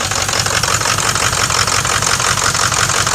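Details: 2006 Ford diesel truck at a steady idle, with a sharp, raspy puffing on each beat; the exhaust is leaking from a broken bellows and a misaligned Y-pipe, and there is also a coolant leak.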